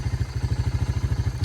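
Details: Honda FourTrax TRX300 ATV, auction machine revived with new carburetor and battery (brakes still not working): quick, even low thumping of roughly fifteen beats a second, steady with no misses; smooth idle, "sounds like a sewing machine".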